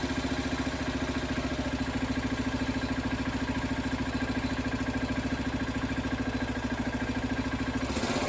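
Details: John Deere 300 garden tractor, 1970s Kohler K341 single-cylinder after a ground-up rebuild, engine bolted down, carburetor being fine-tuned: even, regular thumping at steady idle, no knock or clatter; rebuild successful.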